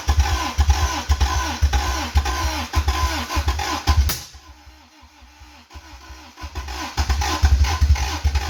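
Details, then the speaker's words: 1985 Toyota MR2, 4A-GE 16v, long-stored, after the distributor was rotated and gas sprayed in: rapid cranking with uneven firing bursts that almost catch, pause, more cranking. Nearly starts, "almost like a motorcycle". "gosh dang it oh it was so close like it was just like it almost sounded like a motorcycle"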